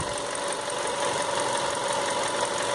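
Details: Engine that stayed at high idle even when warm, after cleaning carbon from the IAC valve with kerosene: steady, even idle with a smooth whir and no hunting or surging, settling at proper speed; normal idle.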